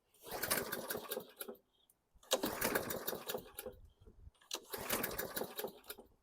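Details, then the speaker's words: 2014 Bolens 21" mower, Briggs & Stratton 500E 140cc, primed, brake cable squeezed further: three recoil pulls, short whirring spins never firing. Cranks, no start; owner suspects valves or safety brake cable. "I didn't show you anything I just showed you a big complete failure on this thing so I'm gonna have to sleep on this"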